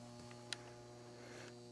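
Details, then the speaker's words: 1948 United Blue Skies pinball machine, switched on after rewiring: steady low mains hum with a few faint clicks as power comes on; transformer energising normally. "When you do the switch, you start hearing the transformer hum. That's the only thing I could hear last time."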